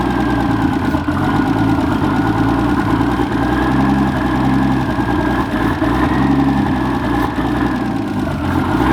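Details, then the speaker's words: Nissan R31 Skyline RB30E engine: loud idle with a wavering, uneven beat and some rough knocking under it, not holding a steady idle. Owner suspects bad spark from an unknown distributor and coil. "next time I'll draw and diagnose why it's not idling properly"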